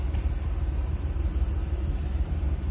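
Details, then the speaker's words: 2023 Maruti Celerio at start: low uneven idle that pulses and stumbles, hesitant under throttle; scan tool shows cylinder 3 misfire, spark plug replacement planned. "Start ചെയ്യുന്ന സമയത്ത് ഭയങ്കരമായിട്ട് missing fair കാണിക്കുന്നു. അതായത് accelerator എത്ര കൊടുത്താലും വണ്ടി പമ്മിയാ കേറുന്നത്."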